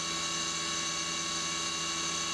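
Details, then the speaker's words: CNC mill, 3/16 inch end mill full-slotting the AR15 gas block bottom side; steady, even high-pitched cutting whine with no warble or rattle, a clean chatter-free cut. "which i'm always apprehensive about doing a full slot but man they almost seem to sound better when you're doing a full slot but at least it sounds better there"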